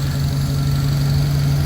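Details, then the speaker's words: 1966 Pontiac Catalina wagon with Sniper EFI, warm at about 180s, IAC reading 0 after lowering from jacks: steady, slightly fast idle with no hunting; idle too high, owner suspects an IAC or ECU driver issue. "The idle sure sounds like it's up just a little bit. So I want to check our temp, our IAC setting, all the good stuff."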